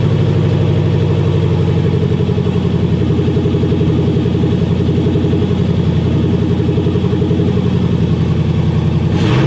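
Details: 1977 Chevy C10 with 4.8/5.3 LS swap, first start on new exhaust manifolds and in-tank fuel pump: loud, steady V8 idle with even low burble, no knocks, misses or ticks, running smoothly.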